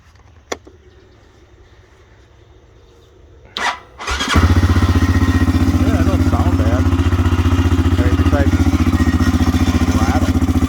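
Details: CF Moto CForce 500 auction find: a couple of clicks, then engine catches and settles into a steady, even idle around 220 beats a minute; normal idle.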